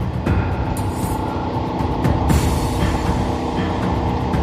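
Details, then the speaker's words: Pacific Islander boat bow thruster runs with a steady, even low rumble and no grinding, working normally after the four Lifeline batteries were replaced and rewired. The battery charger is still not charging. "oh bath Thruster works just fine we are good to go"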